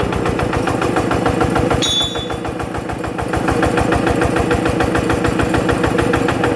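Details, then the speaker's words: Yanmar TF85 LM single-cylinder diesel after a rebuild with a new side cover O-ring and original piston rings; the owner says it burns no oil, with slight exhaust smoke. Even idle thump at about three beats a second, no knock or rattle: normal idle. "อ่ะเสียงก็ประมาณนี้นะครับแต่ใครอยากได้หรือรับสภาพได้ก็โอเคนะครับ"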